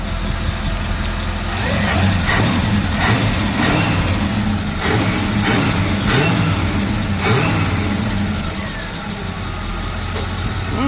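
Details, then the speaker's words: 1965 Chevy C-10 with a Powerglide transmission, long sitting, idling and given light throttle blips: a deep, even idle that picks up cleanly and settles back smoothly. It runs strong and sounds healthy. "Fires right up. Idle's really good. Really smooth. Give it a little bit."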